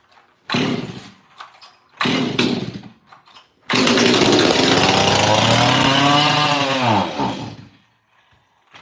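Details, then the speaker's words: Stihl 026 Pro chainsaw in a cold shop after a fuel line swap, with no fuel filter fitted yet and the air filter off, so there is no choke flap. Pull-cord rasps and whirring but it never catches; hard to start while priming fuel. "It's cold in the shop, so choke would be nice right now. Come on, girl. Get that fuel out."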